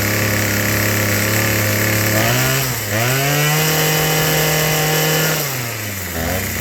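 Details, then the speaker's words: Troy-Bilt TB2044XP JumpStart two-cycle trimmer, before service, likely never serviced: buzz keeps surging and sagging instead of holding idle; dirty carburetor needing cleaning and tuning, later serviced with carb cleaning and new fuel lines. "you can see that carburetor is all dirty I got it to start up and run but it won't run in the idle it needs a tune"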